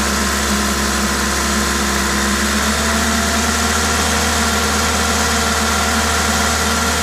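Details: Toyota 2ZZ-GE engine at idle with an aftermarket induction kit: steady, even idle with a smooth low hum and constant intake hiss from the kit, no knocks or misses; normal, healthy engine noise.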